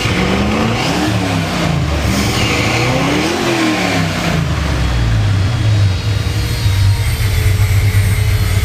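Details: 1968 Corvette V8 rolling chassis, electric fan running: deep lumpy blips up and settles to an uneven cam lope at idle; strong healthy motor.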